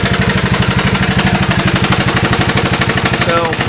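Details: 1982 Honda ATC185 single-cylinder after replacing the carburetor (old one had an open port causing a vacuum leak), briefly choked: slow, even putt-putt idle with steady pulses and no popping; idling smoothly.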